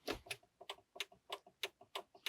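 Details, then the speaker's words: Volvo C70 (1999–2000), 2.4 petrol, ignition on in a quiet cabin with a faulty speedometer: crisp dry relay clicks about three a second. It is not the turn-signal relay, and the clicking relay is not yet identified. "зовсім інший звук то звук звідси йде от навіть коли повороти включаєш все равно звук на звідти ну реле отут у нас находить ться це якесь рле щолкає незрозуміло пока що воно щолкає"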